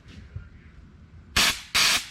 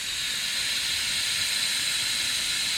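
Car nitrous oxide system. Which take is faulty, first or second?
second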